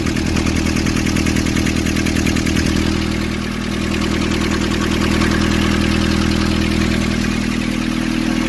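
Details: Nissan Urvan ZD30 diesel (possibly 2015) after a no-start repair in which a clogged, soot-filled part near a sensor was cleaned and refitted: even, steady clatter at about three beats per second, no misses or knocks; settled, healthy idle.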